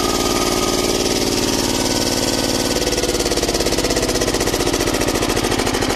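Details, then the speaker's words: Old Japanese 10 hp single-cylinder diesel welder/110 V generator set: even, regular thumping that picks up smoothly as hand throttle is opened; engine runs soft, smooth and healthy, normal diesel running. "เราเบาๆๆได้เลยเครื่องนิ่มมาก"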